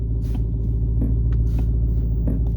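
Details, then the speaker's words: 2020 Dodge Challenger Hellcat Redeye Widebody, about 4,300 miles, engine running in park: deep idle rumble with sharp irregular clicks felt and heard in the shifter column each time the brake is pressed; not when engine is off or in reverse. "hear that clicking [Music] every time I press on the brake [Music] in the shift in in the shifter column like in here somewhere it's vibrating and feel the vibration on here"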